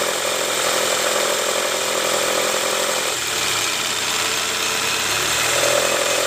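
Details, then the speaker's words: 2005 Toyota Camry 2AZ petrol engine at idle, before repair: a rough, gravelly growl that never smooths out. Diagnosed as a worn timing belt tensioner, to be replaced while the timing cover is off for the oil-leak reseal. "oke Guys jadi seperti itu bunyi ngoroknya itu udah kita analisa ternyata dari Tensioner nah ini kita mau sekalian ganti Tensioner karena kita bakal lepas juga tuh Tensioner untuk buka Kabupaten ini"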